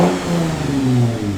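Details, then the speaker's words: Abandoned American V6 truck with new unclamped 4-inch tailpipe exhaust, original cats and silencer removed, revving: smooth deep rev rising and falling evenly, no rattles, blows or misfires; moderately loud, healthy. "yeah that's right it's not so loud that my neighbors won't stab me but it's loud enough that he actually hears a v6 so it sounds pretty good i'm very happy with that"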